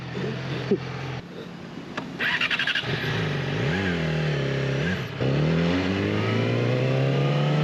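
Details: Motorcycle with a low, dying battery, bump-started by pushing it downhill and dumping the clutch: it catches after a couple of seconds, revs up and down twice, then settles into a smooth, steady run; healthy.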